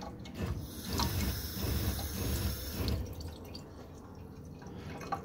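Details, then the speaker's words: Off-grid water system in a bus conversion, pump pushing water from the tank through an accumulator tank to the lines: choppy machine-gun-like pulsing flow under a rushing stream, then easing; accumulator tank suspected not set up correctly, needs air. "the reason that this thing is well it's a pretty safe stream but the reason it sounds like a machine gun right now is because the accumulator tank I don't think is dialed in"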